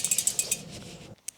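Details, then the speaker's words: Sturmey Archer standard-ratio Brompton rear hub wheel, spun freely: light, quick metallic pawl ticks, about a dozen a second; normal, and judged noisier than the Sachs hub. "This is a Sturmey Archer standard ratio Brompton wheel. We think it's noisier than the Sachs."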